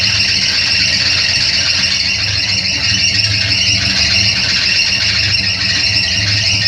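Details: Opala Coupé engine running with a constant high-pitched squeal over it the whole time; slipping accessory belt, taken in to replace the belt.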